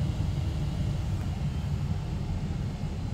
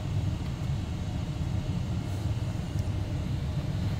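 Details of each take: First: Mystery 486 tower with an Intel i486 DX2 and AMI BIOS that earlier gave 3- and 8-beep codes, turbo off: only a steady fan drone with no beeps; it POSTs normally despite a wonky display. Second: Mystery 486 tower with Intel i486 DX2, AMI BIOS, after reseating SIMMs and engaging turbo: over steady fan hum, repeated runs of seven short evenly spaced beeps, indicating a possible processor error.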